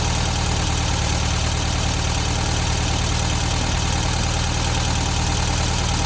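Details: 1972 VW Beetle 1200 air-cooled engine idling after valve clearance adjustment and new plugs, running better on four cylinders; fast light ticking steady with engine speed, valve train noise, owner suspects clearances set too loose.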